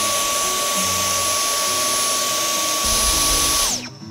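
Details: Dyson V10 Fluffy+ cordless vacuum with new compatible filter: normal steady high whine and airy rush, then smooth spin-down; earlier surging and pipe-light blinking was caused by a still-damp washed filter.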